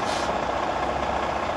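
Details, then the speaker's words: Tractor-trailer pretrip, class one, at idle with spring brakes released: full brake application with the glad hands disconnected gives a brief air rush, then no lingering hiss, showing the tractor protection valve works properly. "no air leaks from coming from the disconnect glad hands tells me that my tra protection valve is working properly"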